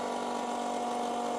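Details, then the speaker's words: 12V electric fuel transfer pump on a new fuel cell tank, first run: steady hum with a high whir and airy churn as it draws air while the empty fuel filter fills with diesel; normal priming noise. "So, that sound you hear is actually the filter, that fuel filter filling up with fuel."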